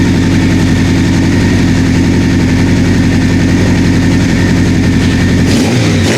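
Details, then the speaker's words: 1984 Honda CB700SC four-cylinder after fixing a no-spark issue, first start, cold and warming up: steady, even idle, no knocks or misses, no fuel leaks from the carbs; carb sync may not be needed; normal idle. "I might not need a synchron ice though man it sounds good"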